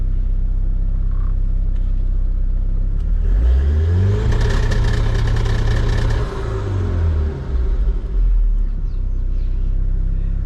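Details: 1986 BMW 325i SR20DET swap on Link ECU, fuel-fix retest: revs climb and hold on the two-step launch limiter, crackling evenly while building boost, then drop back smoothly; fuel pressure rock steady; normal.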